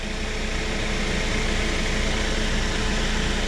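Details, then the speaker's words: Chevrolet Spark/Beat with engine running, after replacing the radiator fan resistor (GM 96656660) that caused no low speed: low speed now works and fan switches to high, strong even air rush and steady low hum. "como pudieron ver ya funciona y ahorita se debe de encender la alta ahí está la"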